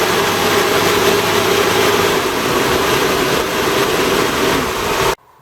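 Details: 1988 Toyota Hiace driving after fitting new viscous fan coupling and new belts: steady, even rushing air roar drowns out the engine; fan properly locked in, pulling hard; normal engaged viscous fan roar.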